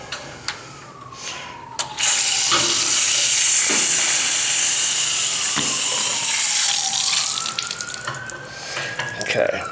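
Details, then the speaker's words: Water heater drain valve opened with the supply valve shut, flushing rust from galvanized lines to restore pressure: water rushes hard, then weakens and tails off because an air lock has formed. "so as you can see the pressure died off the reason it's not blowing full force with the water off is because it's created an air lock"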